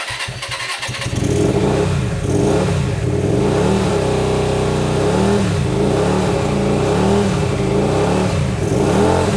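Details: Hyosung GT125RC just restarted after two years with ultrasonically cleaned carbs. Revs rise and fall every second or two without running away, and it dislikes the choke.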